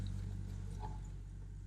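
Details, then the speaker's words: Jeep 4.0 (XJ/MJ/TJ) after fixing cracked, aged vacuum line: low, steady hum, idling evenly at 1000 rpm with check engine light off, no hunting or stumble; previously ran about 2500 with check engine light on. "and now it's idling at 1000 and the check engine light is off"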